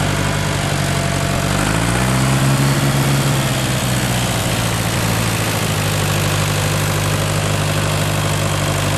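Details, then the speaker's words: Major tractor started with the clutch pressed and the ignition on: a heavy low chug rises briefly, then settles into a steady, even idle with no knocks or misses. This is a normal start and idle. "Kone lähtee käymään, kun ryypyt on saatu. Kun Majori käynnistetään, vaihdetaan kytkin pohjalla."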